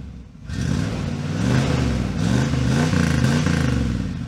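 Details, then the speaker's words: 305 V8 with 5-speed Camaro after fuel pump replacement, no leaks: catches and blips up and down cleanly a few times, no knocks; running much better, sounds healthy. "not bad not bad at all"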